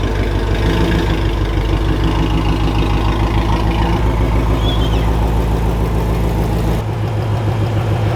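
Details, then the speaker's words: V8, ticking started while driving with no loss of performance: steady idle with fast, fairly regular tick about three per second over the rumble; ticking at idle, suspected exhaust leak rather than blown engine, not confirmed. "All right, Henry, is it a blown engine or an exhaust leak? Exhaust leak."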